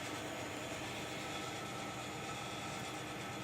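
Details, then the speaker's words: AC indoor unit that is noisy and not cooling: steady loud rushing hiss of refrigerant gas flow as the compressor runs, because the replaced discharge valve is a common one lacking the restrictor/expansion valve. "Así que le han puesto uno comú y por eso lo que se siente es el flujo del gas cuando el compresor lo"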